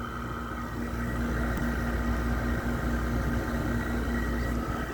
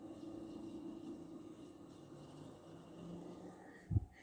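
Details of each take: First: Frigidaire window air conditioner running: constant deep hum with a buzzy edge and an uneven rumble, rougher and louder than expected. The owner thinks it is an LG compressor but it sounds like a noisy GMCC. Noisy, rough-running compressor. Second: Frigidaire R410A window air conditioner just cycled off in an upstairs room. Soft, steady hiss with a faint gurgle as pressures equalize: normal refrigerant flow after shutdown.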